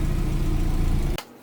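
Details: Subaru Forester STI just after turbo rebuild and new up-pipe, running on an untuned base map with the exhaust closed while the cooling system is burped: even, steady low idle, no knocks, misses or whine; idles cleanly.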